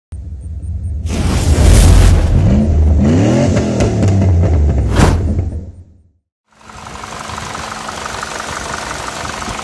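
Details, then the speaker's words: PT Cruiser GT engine: rough, uneven idle with heavy diesel-like clacking knock about three per second; sheared cam pin left a valve stuck open. "i know what you're thinking that sounds horrible it does this all happened a while ago but i figured i should make a video of it since it's pretty interesting after taking a two-hour drive home and parking the car the next morning when we started up i noticed it sounded like a diesel"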